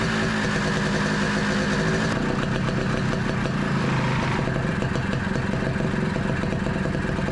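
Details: 1982 Honda Odyssey FL250 two-stroke, freshly rebuilt engine with aftermarket Nibbi carburetor and stock exhaust, first start: uneven blatting, speed rising and falling with throttle, never settling into steady idle; won't hold idle, cause not identified.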